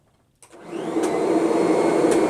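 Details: Kirby upright vacuum, after repair: motor spins up to a steady roar, with most of the original normal transmission whine gone and only a faint thin whine left.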